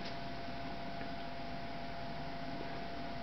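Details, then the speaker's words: Trane XV95 95% variable-speed 5-ton furnace at first startup, inducer draft motor running before ignition: steady, even fan rush with a faint constant hum and no knocks or scraping; normal inducer startup. "this is a 95 variable 5 ton this is uh it's a 5ton system this is the sound it makes when it first starts up that's the draft"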